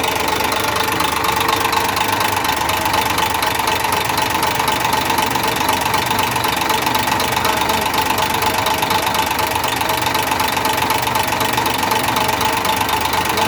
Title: another mechAnic job 101.....trouble and diagnose engine knocking......